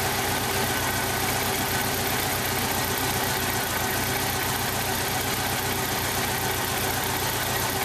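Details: 1995 Jeep Wrangler YJ 2.5L four-cylinder running rough at idle; cylinder one has a blown head gasket seal and about 70 psi compression; uneven, lumpy idle with irregular stumble and no steady beat.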